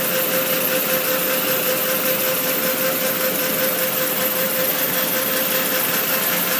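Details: R1 dv at idle: steady airy hiss pulsing about twice a second over a faint constant tone, louder on cold start; source not pinned down.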